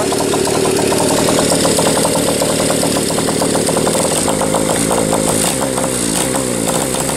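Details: Single-cylinder motorcycle running indoors, likes a little choke at first start: beat stumbles and skips at irregular intervals; misfire, owner sees sporadic inconsistent spark and suspects a valve not seating fully.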